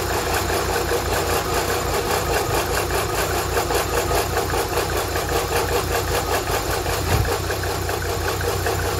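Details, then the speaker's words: K-Series engine just after coolant tank replacement and refill, warming up at idle: smooth regular quick idle pulse with no stumbles or knocks; normal idle. "just let it warm up just let it warm up she hers absolutely purring"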